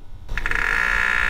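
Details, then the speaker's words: BMW with the radiator fan stuck on high, engine cover off, coolant topped up: raspy croaking buzz with a steady squeal as the electric water pump tries to pump, no flow from the weep hole; the pump needs replacing. "you might hear that pump trying to work down there so the pump is trying to pump our coolant level is full but we have no coolant coming out of the weep"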